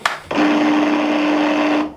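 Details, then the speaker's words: Electric roller shutter motor hums steadily with a fixed buzzing tone under load, straining weakly and lifting the shutter only about 5 cm; capacitor fault suspected, not confirmed; whole motor to be replaced. "remonte que de 5 cm ça je pense que ça c'est un problème de de condensateur tu vois mais je suis pas sûr non plus du coup je je vais remplacer le moteur complet"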